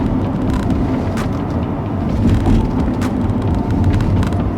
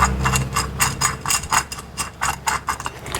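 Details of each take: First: B-Series Ford Falcon road test after replacing front wheel hubs: even tyre and road rumble while turning right and left at speed, no grinding or growl; new front hub bearings quiet. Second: Old front wheel hub from a B-series Ford Falcon (BA/BF), spun by hand: gritty, lumpy rasp pulsing with each turn, while the new hub spins silently. Worn wheel bearing.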